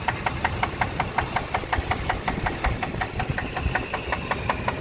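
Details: Ford F-150 5.4L at idle with sharp, loud metallic knocking about three per second; rod knock from a worn connecting rod bearing after running the engine low on oil.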